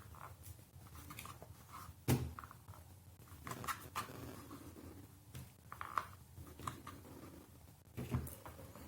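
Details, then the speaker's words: Tutis stroller wheel pressed on its axle with the plastic top cover removed; short crunchy creaks in bursts with each press. Various greases did not help; the creak comes from the dry plastic cover pieces. "если мы просто ставим и нажимаем на ось должно быть на видео слышно во время нажатия происходит хруст"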